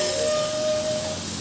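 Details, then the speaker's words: Inground sprinkler system winterization blowout with 22-gallon air compressor, zone 4: steady airy hiss with clear whistling tone that holds then fades; pipes singing as air pushes through, normal and nothing to worry about. "singing pipes means that the sprinkler gods are smiling upon you. Don't worry if you hear that sound, it's nothing to be concerned with."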